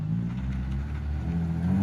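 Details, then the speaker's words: Lexus SC300 after the broken exhaust was made to sit properly: a deep, smooth exhaust hum rising slightly with revs, with no rattles or leaks; the exhaust sounds normal. "We didn't do anything crazy to the exhaust, but you got it to sit back properly. She sounds pretty good."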